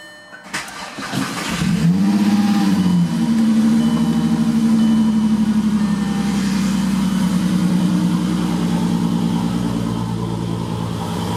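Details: Mk4 VR6 (Jetta/Golf/GTI) after power steering pump replacement and refilling fluid, original pressure line kept: cranks, catches cleanly, flares, then idles smoothly with no whine or groan from the pump; normal start and idle.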